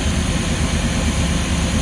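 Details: Luhrs 28 boat inboard engine with newly rebuilt carburetor, ethanol fuel: low, even idle rumble with steady loudness and no stumbling or surging; running smoothly.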